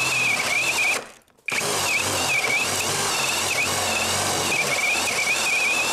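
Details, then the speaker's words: Litheli U20 cordless drill boring oak with a sharp 68 mm Forstner bit, no kickback control: high steady whine under heavy load cuts out for half a second, then restarts; overload cut-out tripping. "Er hat ein paar Mal abgeschalten, aber ich muss ehrlich zugeben, das ist ein 68er Forstnerbohrer und das ist Eiche."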